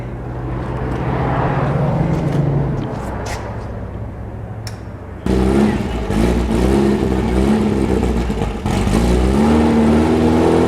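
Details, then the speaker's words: Rebuilt VW 1835 Bus flat-four on a stand, idle jet cleaned after being clogged solid, oil pressure high: idle hunts and stumbles and runs too lean; the carburetor still needs checking for the cause. "I was able to bring it back down to an idle but even at that the idle is too lean and I'm going to have to go through this carburetor and find out why it"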